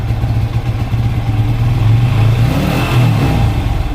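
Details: TVS Apache RTR 180 single-cylinder bike revving with an uneven, stumbling exhaust beat as the throttle opens; misfire, low pickup and poor mileage from a faulty carburettor diaphragm, which was replaced.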